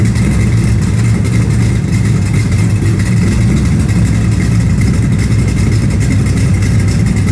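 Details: V8 with new exhaust, running outside; loud deep burble with a raspy puffing edge under the rumble; exhaust leak still to fix.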